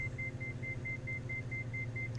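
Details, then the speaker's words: Diamond DA42 twin climbing out with one throttle closed for simulated engine failure, gear up: fast high beeping over engine drone, the landing gear warning triggered when a throttle drops below 20% load. "the gear is not down so the aircraft automatically produces a gear warning sound which is that beeping you can hear"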